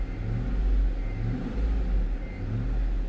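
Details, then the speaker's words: 2005 Cadillac Escalade 6.0L LQ9 V8, previously misfiring on cylinder 2, after new plugs (a new one fouled) and wires: deep even rumble swelling smoothly under load, zero misfires; normal running under load. "so I put the plugs in first so now when I start the car per like a [Music] kitten"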